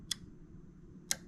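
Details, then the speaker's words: 2003–07 Chevrolet Silverado with factory fog lights (RPO T96) on a custom harness. Pressing the fog light button gives two sharp, crisp clicks about a second apart over a quiet background; the fog light relay is switching normally. "if I come into my truck and I hit my fuse button or my hit my fog light button you'll hear the click from the relay"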